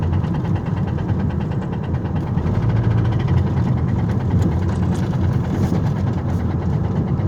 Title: driving with rod knock